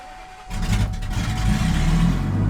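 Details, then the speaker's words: RV with its catalytic converter cut off and stolen, cold start: the engine catches into a deep, blatty low rumble far louder than stock, "like a tractor", from the open exhaust where the cat was removed. "that sounds terrible hey Vic you straight bike bro [Music] that is terrible absolutely terrible let's kill this thing before we scare the neighbors away"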